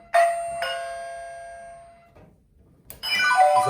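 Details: LRA-DCRXS plug-in strobe receiver re-paired to two wireless push buttons after memory erase, new sound for zone 2: clean two-note chime, pause, then a different chime; both zones sound properly.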